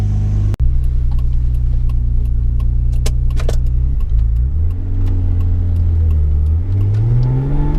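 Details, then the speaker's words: Mazda MX3 with KL "big block" V6 swap, warm idle after sorting high-idle problem: ECU still learning, idle hangs slightly high at first then drops properly once warm; steady smooth idle, no hunting or hiss. "Slightly high idle at the start every time. It's still learning. So it's still slightly hanging high, but it's cooled down a bit."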